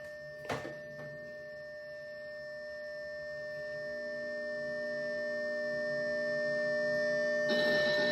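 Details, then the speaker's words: 40-year-old Atari 410 cassette program recorder with new rubber belts, on an Atari 600XL, saving a program to tape with the volume turned up. Steady, shrill data tones hold evenly and grow slightly louder until the save finishes; normal. "It's just a bunch of weird noise. You hear? is Oh, it's finished."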